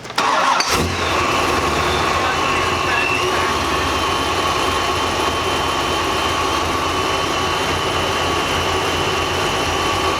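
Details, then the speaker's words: Engine cranks and idles with an uneven, loping beat; unplugging coil three changes nothing while others worsen it, so cylinder three is not firing; injectors to be swapped to check. "the other ones obviously once you unplug them you can hear kind of the engine shut er down you can hear misfire"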